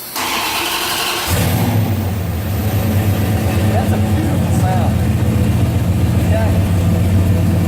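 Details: Car with a crank/no-start fault, after engine computer replacement and programming, with the check engine light now on at key-on: the starter whirs briefly, then the engine catches and settles to a steady idle. Normal crank and start.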